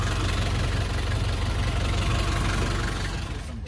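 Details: Nissan Escapade van: the engine ticks over at a steady, even beat with no stumbling or stalling, a normal healthy idle.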